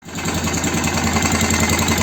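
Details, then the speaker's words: BM Motard 250 single idling after rebuild: fast, regular tapping riding on the exhaust beat from the top end; foreign knock, cause not yet found, engine to be disassembled again. "запустил мопед Вот но слышно стук вон оттуда вот отсюда посторонний звук подозрение нар будем разбирать смотреть"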